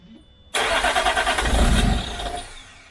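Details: 2006 Land Rover Discovery 3 2.7L TDV6 diesel after full rebuild: the starter cranks unevenly for two seconds and never fires. The crank trigger wheel is off by about 2°, giving a bad crankshaft position signal.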